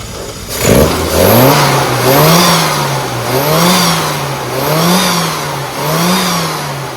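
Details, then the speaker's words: Classic car engine after ignition timing was corrected from 2 degrees, having earlier run very rich, with the fueling still to tune: repeated clean throttle blips, revs rising and falling smoothly with no misfire, sounding much better. "It sounds a lot better, yeah? And the reason why it sounds better is because we've now got some timing on it."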